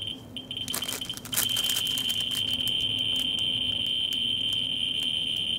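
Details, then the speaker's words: Ludlum 14C with a Ludlum 44-3 gamma scintillator near a Petromax thorium lantern mantle on the x10 scale: a dense, fast rattle of clicks merging into a steady high buzz, a very high count rate settling around 13,000 counts per minute. "see that it's slowly falling until settle up and it allowed around 13,000 counts per minute"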